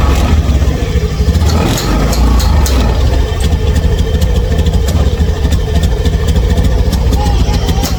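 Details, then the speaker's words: Honda engine at idle runs loud and noisy with a rough, uneven low rumble and no clean tick, sounding weak and labouring; fuel pump and fuel filter already replaced, cause unclear. "Kalau saya kadet terdengar suara berisik kayak gini. Ngiteng tuh. Ini kayak enggak kuat ya, Teman-teman."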